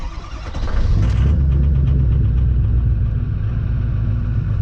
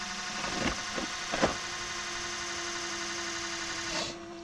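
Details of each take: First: 2006 Ford Super Duty 6.0 Powerstroke diesel after fuel pump/HFCM and fuel filter replacement: catches and settles into slightly uneven, lumpy idle with faint stumble; air still in fuel system, much better than before. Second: 2006 Ford Super Duty 6.0 Powerstroke diesel, key-on priming after fuel pump/HFCM replacement: steady electric pump hum with airy hiss and bubbling pops as air purges, then quiets, normal priming.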